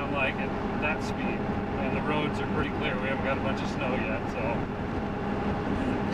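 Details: Ford F350 OBS with 7.3 Powerstroke diesel on Mickey Thompson Deegan 38 315/75R16 mud tires, heard in cab at highway speed around 55–60 mph: steady low roar, even tire hum and wind rush, no thumping or wobble; normal mud-tire drone.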